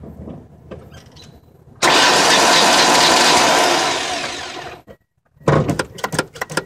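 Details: 1999 Ford ZX2 that died about 10 seconds after bottoming out, with the fuel shutoff not activated and a brand-new battery: the starter spins with a steady whirring churn for about three seconds but never fires. It cranks but won't start.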